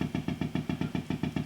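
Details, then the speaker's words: Marshall JTM45 MkII model 2245 valve guitar amp, guitar strummed: low putt-putt thump about seven or eight times a second, evenly spaced; motorboating, cause not yet known; customer reports popping and buzzing after minutes. "oh i can hear that straight away let me kind of motorboating sound interesting no idea what that is at the moment what an interesting noise i've never heard that before"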